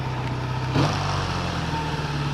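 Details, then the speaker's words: 1980 Kawasaki LTD440 motorcycle after first spring ride, warm; smooth steady purr with brief blip, idling a little high, something not returning fully to trip a switch, needs adjusting; otherwise normal idle. "going a little bit high but listen to it that's what it should sound like right there"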